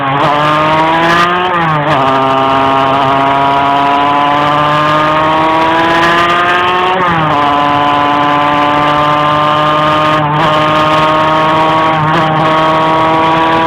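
Engine tone climbs slowly and sags back repeatedly while driving, revs hanging instead of pulling cleanly; struggling to rev under load. Cause suspected, not confirmed.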